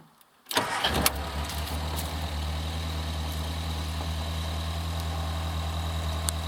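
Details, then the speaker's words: Restored Morris Minor 1000 convertible with rebuilt engine (new pistons, rings), cold start on choke: quiet, then catches and settles into a steady even low idle with no knocks or misses as choke eased off; healthy. "Sounds just like your Mogy should. Really, really does. Settles down to a lovely idle."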